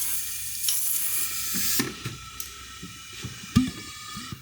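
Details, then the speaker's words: Volvo 240 wagon with turbo LFX swap, intake pressurised in a boost-leak test: steady airy hiss for a couple of seconds, then clunks; air escaping past both wastegates, the problem one leaking by the stem. "those are definitely leaking so the gate our problematic one must be leaking by the stem out of that"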